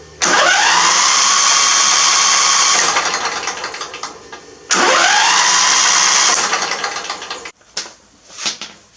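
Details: Briggs 21 hp V-twin LT1000 mower after fitting a 16-tooth John Deere V-twin starter in place of a 14-tooth one, after several starters tried: two cranking bursts of a few seconds each, steady high whir, clean engagement; starter drive working normally.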